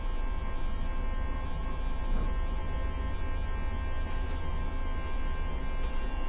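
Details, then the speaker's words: Ducati 750SS sat for years, first power-up: loud steady electric hum from the fuel pump, very noisy and running continuously while the engine won't turn over; owner unsure whether it is priming, cause unknown. "For some reason, the fuel pump is very, very noisy. And at the same time, it doesn't want to turn the engine."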